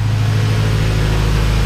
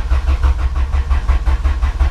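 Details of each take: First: Honda B-series VTEC engine (98-spec Integra Type R) warming up after valve stem seal and lost motion assembly replacement: smooth, steady low idle with an even hum, quiet with no noticeable valve ticking; normal warm idle. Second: 1998-spec Integra Type R Honda B-series VTEC engine after valve stem seal and lost motion assembly replacement: steady starter churn about three compression beats a second, no firing; crank no start, no spark, distributor unplugged.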